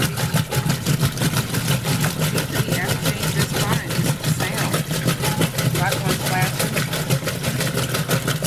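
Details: Roper washer during an agitate cycle: regular heavy clunks about three a second following each agitator stroke over the motor hum. Agitator clunking, cause not yet identified.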